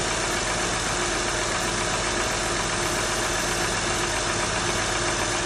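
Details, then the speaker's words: 2004 Acura TL just started, engine very cold: idle quiet at first, then a busy uneven ticking knock about four per second emerges, loudest at front and back of the cylinder head; owner wonders about valve adjustment, unconfirmed. "This engine is really cold. So I just started up. There's no noise at the moment, but you will slightly hear the noise is gonna come pretty shortly."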